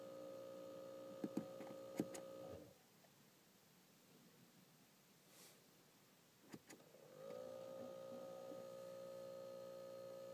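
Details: A steady mid-pitched electrical buzz from the instrument cluster cuts out for a few seconds, then returns unchanged; cause unknown.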